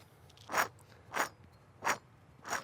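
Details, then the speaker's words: Removed rear passenger wheel bearing/hub assembly from a 2010-14 Subaru Legacy/Outback, held to the mic and rotated by hand: four rough crunching bursts, confirmed as the failed bearing causing the noise. "absolutely was the source of our noise"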